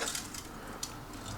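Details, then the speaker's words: BenQ W1070 projector that stopped working, being opened for repair: loose tinkly glass-on-metal jangling each time the unit is moved; the lamp bulb had burst, leaving broken glass inside. "that's a very rattly sound it's making. Why does it sound like the bulbs physically exploded?"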